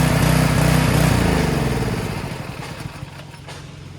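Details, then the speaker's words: Long-stored pressure washer, after no-start troubleshooting (rust clog found), started with a couple of pulls: small engine fires at a quick, even beat, runs steadily; works fine. "now it works great give a couple of Yanks there you go Works fantastic"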